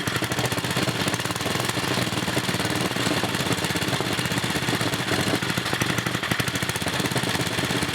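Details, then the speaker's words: 1980 Montgomery Wards 2200 W generator with 5HP Briggs & Stratton after NOS block swap, first test run: steady fast even chatter, no knocks or misses, no smoke; running healthy. "alright guys the test runs alright we'll go ahead and put the generator running in and take it out for a real test here in a few minutes"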